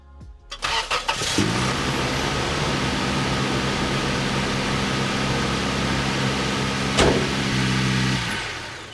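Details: Chevy Astro van first start after alternator replacement; short crank, quick catch, then a steady even idle with no knocks, squeals or stumbles; normal start and idle.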